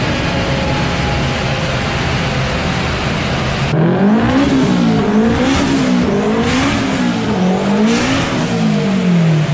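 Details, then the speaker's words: Honda DC2 Integra K20 turbo road run after hardwiring injector pins: steady drone, revs climb and drop through gear changes with a smooth rising note and no stutter; misfire fixed by injector wiring repair. "all right guys as you saw she pulled all the way through and thank god because it is dark outside now so it was just dodging jets wiring really pleased to fix it"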